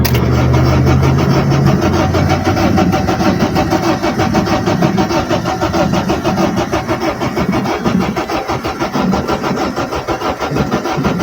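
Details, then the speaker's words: Honda Civic 8th gen with no spark, no fuel fault; owner suspects a broken key not making contact; starter whirs, engine catches, runs rough and uneven, then dies; stall after start. "all right boys literally had it turned on and it turned off I'm going give it a go"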